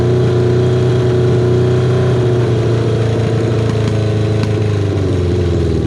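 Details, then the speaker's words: Kawasaki KZ550, carburetor just reassembled with air screw set about half a turn out, cylinder one idling poorly only at idle: uneven hunting note wavering as it revs and settles; unmetered air entering through a split intake boot. "Well, I feel kind of silly for missing that. That looks like there's a uh a bit of a split on the intake boot there."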